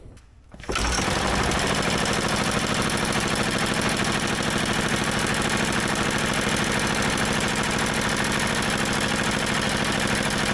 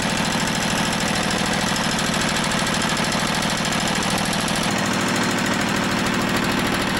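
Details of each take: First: Old motorized dumper single-cylinder engine after fitting the parts carburetor, not yet fully warm: fast, even chatter holds steady with no stumbles; longest run yet, carb still to be fine-tuned. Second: Motorized dumper with Briggs and Stratton-type single-cylinder on fresh fuel, clutch engaging: chugs steadily at a fast even beat, then dies; runs fine when fueled; fuel starvation from a fuel delivery issue.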